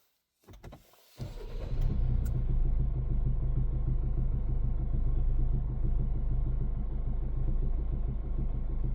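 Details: 2014 Hyundai ix35 2.0 diesel, 184hp, automatic, 166,000 km, warm after half an hour of driving: deep idle with a steady knock about four beats a second. Heard stationary and at low speed up to ~1500rpm, only inside the car; sometimes stops. Cause unknown.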